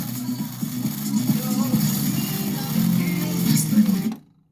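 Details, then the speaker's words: LG speaker test, two 4-ohm drivers wired in series: music with a smeared, sweeping distortion on the bass that the customer reported; it disappears when the large woofer is disconnected, so the woofer is faulty and gets a 6.5-inch replacement. "entonces ahí está ese sonido barrido que dice el cliente que es el que se escucha"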